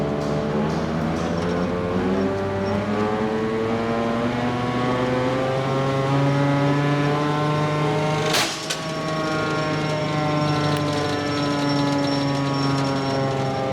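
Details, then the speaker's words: JF forage harvester chopper drum spun up after repairs: a rising whine, then a sharp metallic bang. A knife was adjusted but not tightened and strikes inside the drum. "What the heck? I don't think we tightened the blade we adjusted."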